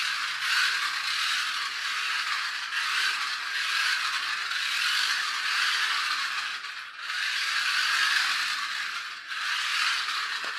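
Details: RC car with a 3D-printed replacement gear, before fitting new AliExpress gears, run on the floor, noisiest in reverse, some noise from wheels spinning: buzzy, high-pitched, rough, rattly gear whirr rising and falling; noisy gear meshing.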